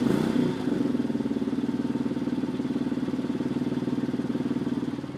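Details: 2003 Porsche 996 Carrera 2 flat-six at idle: uneven, rapid clattering pulse, about three beats a second, over a steady drone; strange sound appeared suddenly one day, cause unknown; abnormal engine noise.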